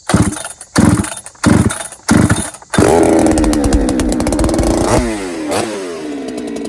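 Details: Ported Holtzfforma 395 chainsaw tuned lean, second test: sharp throttle blips, then a held wide-open scream that flattens and won't climb. It hits an rpm ceiling that tuning doesn't change; cause unconfirmed.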